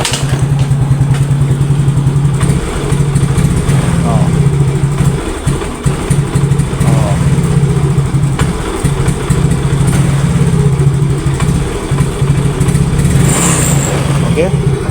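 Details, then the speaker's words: Yamaha Mio GT scooter that starts hard and dies when throttled: idles lumpy, hesitates and sags on throttle then stalls; throttle body and fuel pump pressure to be checked and cleaned. "Oke, nyala ya. Walaupun nyala tapi ngok ya. Jadi telat. Oh, langsung mati."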